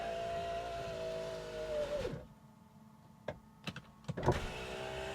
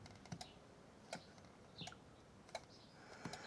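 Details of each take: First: 1998 Jaguar XK8 project non-runner, ignition on, engine off: window switch pressed, smooth even motor hum for about two seconds, then a clean stop and a few light clicks. Power window operating normally. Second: 1998 Jaguar XK8 project non-runner, seat test: quiet irregular single clicks about once a second with no motor hum. Relays switch but the seat lift motor stays dead; owner suspects it is jammed, disconnected or failed, not confirmed.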